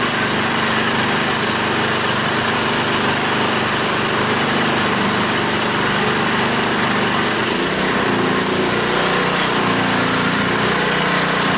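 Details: Honda small engine on a water pump after clearing a clogged carburetor float-bowl jet that caused the no-start (fuel shut-off valve still leaks): steady, fast, even buzzing exhaust with no misses or surging; normal running.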